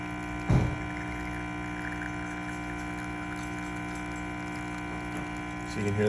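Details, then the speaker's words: Rocket Appartamento espresso machine after a full service, pulling a test shot at about 1 to 1.2 bar: a steady, even pump hum with no surging or rattling; normal pump operation. "pump is nice and consistent now"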